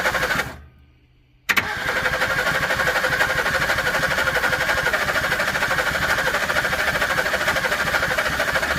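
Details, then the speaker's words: 1961 Ford Falcon Futura parked 20 years, first start attempt with fuel fed to a glass-bowl carburetor: catches and fires raggedly, some cylinders hitting and some not, never settling into a steady idle; unsure whether the choke needs closing; some water found in the oil. "still here some of them hitting and some of them not i don't know if that choke needs to be closed"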